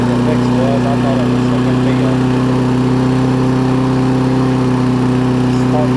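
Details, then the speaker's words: Toro self-propelled mower with Kohler single-cylinder engine, after plug cleaning restored spark: runs steadily but slightly uneven beat; owner believes it ran out of gas, tank found dry; rough running. "but I think it just ran out of gas pretty sure that it did yes we're dry which probably reason why I was running a little bit off"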